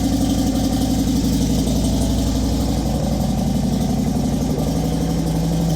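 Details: Motorcycle just restarted after base plate work, in neutral: steady, even low idle of about four beats a second, no ticking or knocking, fuel pump primer audible; normal idle.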